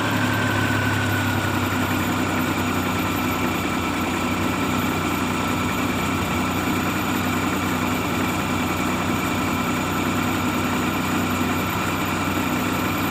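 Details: Maruti Omni idling steadily with a low hum and a faint whistle on top, no misses or knocks, after the check light was blinking with a no-start and the old key was reprogrammed; runs cleanly.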